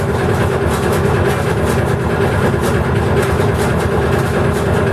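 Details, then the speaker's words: Dutch barge tjalk auxiliary diesel, accelerated with air valve open charging the compressed-air bottle: steady even drone and smooth thrum, belt audible, no knocks; pressure at 12 bar, running fine. "Alors, le bruit qu'on entend, c'est la courroie qu'on entend qui fait pas de Là, on est à 12 bars, on est bien."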